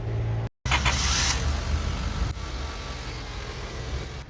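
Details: Car that would not start, with a starter found spinning very slowly or not at all; after the repair the engine briefly cuts out, then settles into a low, steady idle with no grinding or cranking struggle; starts and runs normally.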